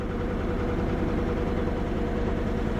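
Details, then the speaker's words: Ford F Super Duty IDI diesel that had lost its prime, cranked on two booster packs with no batteries: starts after an anti-theft button is pressed, then idles low and heavy with an uneven, slightly shaky beat; rough idle, cause unclear. "All right. Will it start now? There it is. There it is. It's a little rough."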